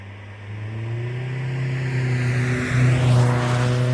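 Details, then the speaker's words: Drive-by of a 2010 Kia Forte Koup SX, 2.4L four-cylinder, six-speed manual, with a Flowmaster muffler: a deep grumbly exhaust swelling as the car passes, steady and clean with no knocks or rasp; healthy. "And I'm going to do some drivebys for y'all so y'all can hear the exhaust system."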